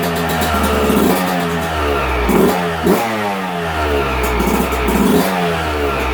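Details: 2022 Yamaha YZ125, about 30–40 hours, after a top-end rebuild for a broken stock cast piston; warming up after first fire: crisp crackle with short throttle blips that rise and fall cleanly, no knock or rattle; healthy.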